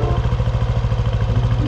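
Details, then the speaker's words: Yamaha NMAX scooter idling after oil change to RS8 fully synthetic oil and gear oil: rapid pulsing thump with rough clatter, vibrating noisy engine; owner suspects the oil, as previous S-oil was quiet and CVT was just cleaned; unconfirmed. "Pero unfortunately, habang ginagamit natin to ng matagal, na-notice ko na parang ma-vibrate at maingay yung makina."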